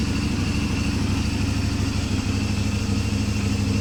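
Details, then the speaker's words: CFMoto 450 MT at 4,767 km, after the engine had turned very rough: after repairing the failed cam chain tensioner by removing its snap ring, steady even exhaust pulse at idle with no rattle; normal idle. "Perhatikan bedanya, Bro. Sekarang suara knalpot sudah terdengar lagi, Teman-teman."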